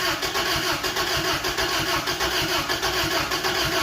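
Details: 1992 Isuzu pickup after sitting for years, in neutral: steady rhythmic cranking that never fires or catches; cranks but won't start, and a lack of spark on all cylinders is suspected.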